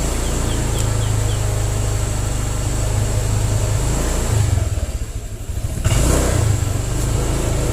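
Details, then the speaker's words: 2020 Honda Vario 125, a new scooter, hesitating on pickup: the engine drones steady, then sags and goes nearly quiet for about a second before picking up again; a stumbling throttle hesitation before repair. "Saat diperlambat, ia tidak bergerak seketika. Ia menunggu, tersendat-sendat, lalu akhirnya mempercepat gerakannya."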